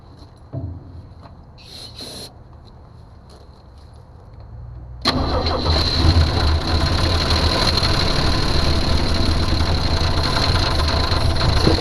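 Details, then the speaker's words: 1982 Jeep Cherokee six-cylinder, not run in years: starter cranks, engine catches near five seconds and holds a fast rough idle. Fuel delivery problem, pump not picking up fuel; owner suspects a holed line or bad pump and plans an inline electric fuel pump. "All right, sounds a lot better now that I revved it up, but we still have a problem with fuel delivery. So I think what I'm gonna have to do is I'm gonna have to get a electric fuel pump and put in line, because it is not picking up on the fuel."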